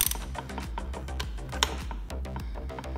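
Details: Ford 9-inch third member on the bench during assembly, gears rolled by hand with ring gear adjusters set deliberately loose; quick light clicks and clunks of excessive ring and pinion backlash before tightening.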